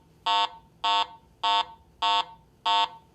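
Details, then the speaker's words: Garrett AT Pro metal detector in standard mode: five short, buzzy low-pitched beeps about 0.6 seconds apart, the low-tone target signal reporting a target by metal type and conductivity. "a target based on its metal type and its conductivity is simply reported by one of three different tones a low"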